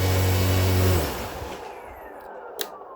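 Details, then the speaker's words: RC plane motor with a flat T-shaped three-blade propeller and counterweight, statically balanced, restrained test run at half to about 80% throttle: heavy low buzzing drone with bad vibration and rattliness, then the motor cuts and winds down. "Now I'm about to go to half throttle. So yeah, I'm at half throttle right now, and that is, yep, quite a bit of vibration. 3/4-ish to 80% throttle now. Yep, that's a bad vibration right there."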